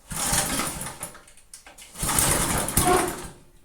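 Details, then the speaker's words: Free, neglected Briggs & Stratton rototiller, previously stuck cables freed: starting on the bench with choke and throttle, engine catches in two short bursts then dies while the tiller wants to drive backwards; cause unknown – stalling on start. "But now it won't run. Great. It wants to go backwards all the time now."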